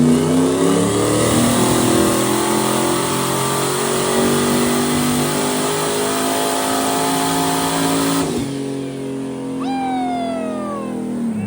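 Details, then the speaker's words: Turbocharged 427 Corvette on moonshine, dyno pull without boost controller: engine climbs hard at full throttle, then the note turns ragged and flat near the top before lifting; bogging, suspected fuel starvation or weak fuel pump. "It was dogging. Like out here, I just had to lift because it sounded so bad."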